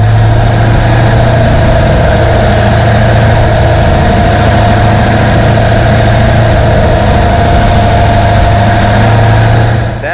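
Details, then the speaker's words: 2021 C8 Corvette 3LT V8, mid-engine right behind cabin, steady run with a faint light fast tick about four per second, heard while driving with music off; cause unknown, owner thinks it may always have been there. "maybe it's always been there logic says that that may be the case but you can hear like a ticking it's not loud but you can hear"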